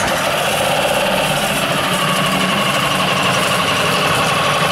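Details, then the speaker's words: New Yamaha 4-stroke 5hp (6hp) outboard running after its first start, with the camera circling the motor. Steady, even hum with a light high whir and no knocks, ticks or rattles. No extraneous sounds; normal running. "в общем yamaha как yamaha никаких посторонних звуков не слышно"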